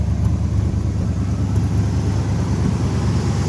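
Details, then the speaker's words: 1980 Chevy K10 after new starter, cleaned gas tank and new fuel filter: steady, slightly uneven idle rumble with occasional faint spits and popping; intermittent misfire at idle, cause not yet traced. "But anyways, it still runs really good other than the spitting. I'm not sure what that's coming from yet."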